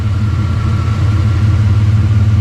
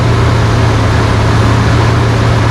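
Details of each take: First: 1992 GMC Sonoma GT, 4.3 V6 CPI, after long idle surge problem fixed with a new spider injector and distributor timing reset by ear: steady, even low idle hum with no misses, surges or knocks. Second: 1992 GMC Sonoma GT, 4.3 CPI V6, at first start-up after extensive idle-surge work: the idle drone swings up and back down around eight seconds, a surging idle.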